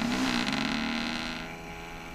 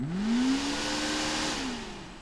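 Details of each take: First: AVC hydraulic-bearing CPU cooling fan with play in its bearings winds down with a falling hum and faint dry rattle as it is unplugged; rattles intermittently, badly all morning; before three-in-one oil was added, which stopped the rattling. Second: AVC hydraulic-bearing CPU cooler fan after a few drops of 3-in-One oil in the bearing: spins up to a smooth rising whir and coasts down cleanly with no rattle. Healthy bearing after repair.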